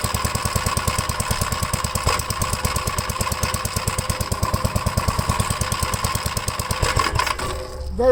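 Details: 1957 Gravely tractor running after a new starter button was fitted to cure a no-crank: even, steady single-cylinder thumping at about ten beats a second, then a clean shutdown; the engine runs normally.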